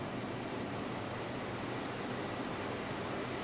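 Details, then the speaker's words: Ceiling fan after noise repair, running on direct supply: steady, even airy whoosh with no knocks, rattles or squeaks; the earlier noise is gone and speed is normal. "जो प्रॉब्लम था इसमें साउंड का वो ख़त्म हो गया है। अब इसका स्पीड भी बिल्कुल परफेक्ट है।"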